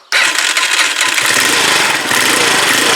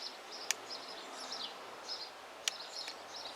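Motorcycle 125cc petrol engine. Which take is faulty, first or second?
second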